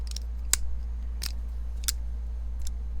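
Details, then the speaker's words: Artisan Cutlery Small Arion folding knife, held to the mic while the blade is worked: sharp light clicks about every half second, a small rattle with slight blade play; pivot (T8 screw) a little loose, owner also feels something in the bearings. "It's got like a little rattle and a little tiny bit of blade play, so the pivot's a little loose."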